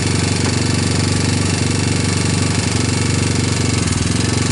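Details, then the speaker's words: Free 1999 Honda Fourtrax TRX250X single-cylinder ATV, non-OEM PZ27 Keihin carburetor, portable CDI: fast, regular light top-end tapping over idle, two or three a second; valves double-checked and feel good, owner suspects the timing chain may be loose. "I think the next thing to do is start exploring to make sure the timing chain is tight enough because I you know like that tapping up on top because once again I I double-checked the valves and they they look like they felt good"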